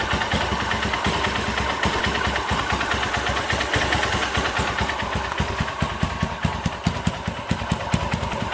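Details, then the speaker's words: 2010 Honda Mega Pro carburetor model bored up to 198 cc with a BRT kit, main jet 120: idle around 1100 rpm still rising and falling; crisp, even single-cylinder pulses that pick up cleanly when blipped, no knocks. "Untuk lamsamnya lumayan ya, masih RP nya masih naik turun ya, di 1100 ya."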